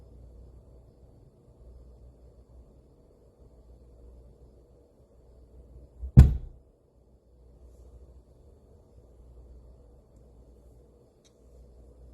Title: BASH Amp banging sound